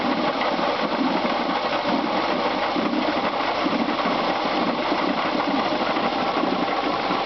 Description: 1996 Subaru Legacy Outback 2.5, 75,000 miles, knocking sound in engine caused by bad water pump.